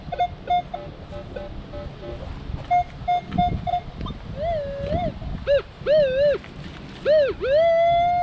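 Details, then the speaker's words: Minelab Equinox 800 with iron audio on at an old school site: crisp mid-pitch beeps then smooth warbling tones, solid clean target signal; dug a clad dime. "So we can give this a good dig. Sounded good. I mean, if you listen to the audio."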